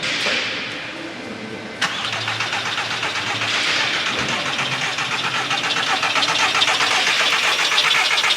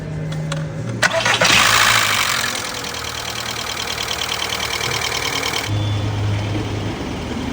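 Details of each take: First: 2003 VW Bora barn find, about 2000 miles from new, long stored, on a jump pack after starter freed: starter turns engine at even cranking rhythm for several seconds but it doesn't start; fuel pump operation unknown. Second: 2003 VW Bora with about 2,000 miles, stood nearly 10 years, first start after a new in-tank fuel pump and tank clean-out: brief crank, then catches cleanly into a smooth, even idle with no smoke; normal start and idle.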